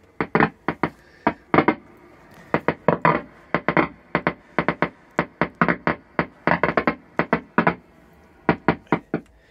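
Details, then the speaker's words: Marshall 75 guitar amplifier: irregular sharp pops and crackles through the speaker in uneven clusters several per second; crackling background fault, cause not found. "as you can hear this this is called a kind of crackling background"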